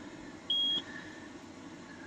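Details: Williams System 9 CPU board from a Space Shuttle pinball machine, not booting, CPU and ROM removed: short high-pitched beeps during memory loop test; data bus reads differ each run, RAM or PIA suspected of corrupting bus.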